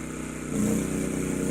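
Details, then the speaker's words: Champion 200961 2500-watt dual-fuel inverter generator on propane, powering a camper's AC, refrigerator and TV; refrigerator compressor likely kicks on, owner estimates under 1,400 W: drone rises in pitch and loudness, then holds even; normal load pickup. "okay, it just kicked in, probably the refrigerator compressor kicked on. But still keeping up. Still under 1,400 watts, I believe, somewhere around there."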